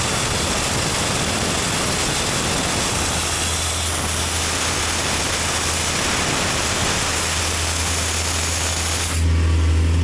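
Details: Sky Track telehandler diesel, listed inoperable at auction, started from cold outdoors: steady even clatter at constant speed, no misses or knocks; runs normally, belts may need dressing or tightening.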